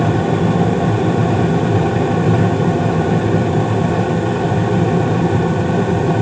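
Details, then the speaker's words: 2016 Carrier furnace (second floor), five years old, blower speed raised from medium-low to medium-high for heat: steady even whoosh of burner and blower with smooth low rumble, no bangs, rattles or squeals; normal operation. "sounds like everything's running great"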